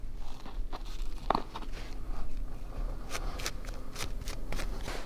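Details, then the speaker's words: Hand-spun wheel of a ThinkTank Airport Take Off rolling camera bag after use at the beach: a scratchy, crunching crackle; the wheels barely spin and the bearings are gritty and worn, so the wheels need replacing. "those wheels are just they don't spin they make sounds the bearings is not good can you hear it"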